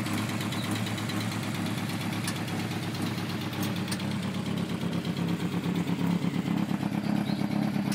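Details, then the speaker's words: VW Golf Mk2 with draw-through turbo, Weber 45 carb and tacked-up exhaust, bogging and backfiring: lumpy idle with rapid puffing about three per second over raspy drone; suspected exhaust blowing from loose joints. "sounds welcome sounds like a big jumble of exhaust blows it yeah it's playing a lot"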